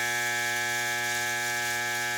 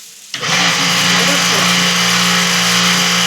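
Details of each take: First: Pressure washer electric motor energised but not spinning: steady buzzy hum with no spin-up; motor stalled due to failed (burnt) start capacitor, and leaving it humming long may burn the motor. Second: High-pressure washer after replacing a burnt capacitor (motor had hummed but not run): it starts cleanly, holds a steady, even hum with the cooling fan turning, then shuts off. It is running normally.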